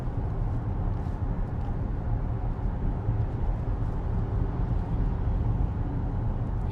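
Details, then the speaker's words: 4th-gen Acura MDX with brand-new transmission after failure at 40,000 km, highway cruise around 80 km/h: steady low road and engine rumble, no whine rising with speed, transmission quiet and healthy. "So as you guys heard and see how well this car is sounding now, I'm fairly happy with the whole situation here."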